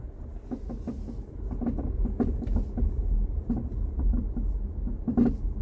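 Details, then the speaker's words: 2018 Jeep Compass, 95,000 miles, on a road test after hitting a pothole: irregular hollow clunks and rattles over bumps from the front end, not stopped by braking; loose front sway bar link needing replacement. "I can't get it to do it, but you can hear it. Definitely some kind of rattle noise."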